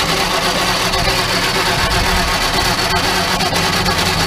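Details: Crosley car with under 30K miles, stored in a barn since the early 70s, plugs back in, water and oil added, spark restored, a little fuel added: slow uneven cranking with scattered sputters and pops that never catch to idle; cranks and sputters but won't keep running.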